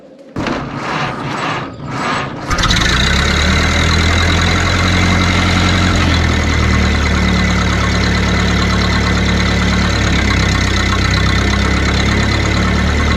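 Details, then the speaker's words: 1931 Ford Model A that sat 30+ years: a few slow cranking beats, then a steady, even four-cylinder idle. It runs healthy, with exhaust leaks from missing exhaust chunks and a muffler open at the seam. "She sounds really good. What do you think? I love it."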